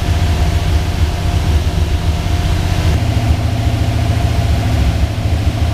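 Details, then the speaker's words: Twin-turbo Microsquirt 1976 Pontiac Trans Am V8 holding a fast, steady idle, lately around 2000 rpm, after the advance was reset from 43° to 20°. Balancer 18° vs computer 20°, still idling very fast. Cause not found. "So, uh, we still need to figure out why it's idling so high."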